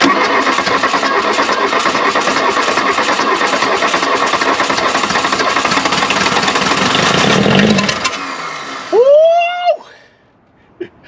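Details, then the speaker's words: 1979 VW Rabbit Mk1 abandoned in woods 30+ years, being cranked after cool-down: about eight seconds of fast cranking with uneven catching beats that cuts off without running; cranks but fails to start. "again oh she was so close come on i don't want to put cooling in it just yet"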